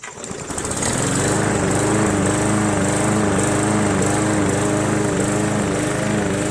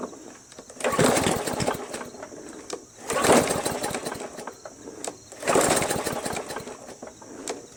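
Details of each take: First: Free roadside MTD Yard Machines 20" push mower, Briggs 300E single-cylinder, after carb clean, throttle spring adjustment and draining water from gas tank and carb bowl; spins up to steady even drone with faint wavering, runs well under cutting load. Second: MTD Yard Machines 20" push mower with a Briggs 300E, found roadside after sitting long; primed. Three pull-starts give brief sputtering gurgles that die out, first suspected as timing or a sheared key. Cause found: water in the tank and carb bowl.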